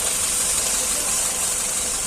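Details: Hyundai i10 CNG car after replacing spark plug and broken plug wire: steady, even idle with hissy top end, no misses or stumbles; misfire and poor pickup fixed.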